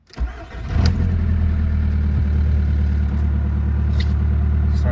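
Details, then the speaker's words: 2003 VW Jetta ALH TDI after starter replacement: starter whirs briefly, engine catches within a second, cranking faster than before, settling into a steady, even low diesel idle around 1100 rpm with no knocks, charging at 13.9 V. "listen to this baby start now starts way faster too that starter sounds like it's really putting off some uh some juice now"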